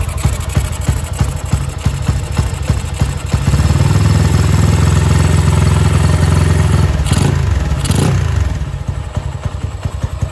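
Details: Motorcycle with an intermittent misfire at idle, right after fitting a new Bosch battery (12.3 V): uneven, irregular pops about three a second, then a throttle blip. The misfire is still there. The owner suspected the battery and says headlight switching sometimes affects it.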